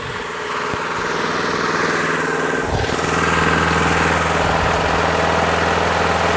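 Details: Craftsman push mower with Briggs & Stratton Quantum engine after winter storage, primed and started. Even, steady buzz settling at constant high speed, no surging or misses; healthy governed running, rpm perfect.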